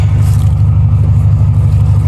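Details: Idle with a Flashark header replacing the cracked stock manifold and the gutted stock catalytic converter refitted: a steady, deep, unmuffled rumble. It is far louder when driving, and a small exhaust leak remains.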